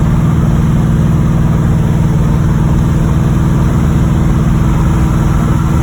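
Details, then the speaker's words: 1986 Chevrolet Monte Carlo SS V8 at idle, driven about 3 days with the problem: deep, steady knock about four a second from the bottom end; suspected rod knock, not confirmed. "I've been driving it for about 3 days now. I hear the bottom end knocking in it."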